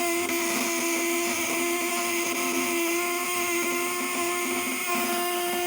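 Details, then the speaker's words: Fish-shocker inverter rated 500–1000 W with 400 V AC output, 8 ons build, running on 12/24 V: steady, smooth high-pitched whine with constant tones and no stutter or crackle; inverter running normally. "Nah suaranya melengking"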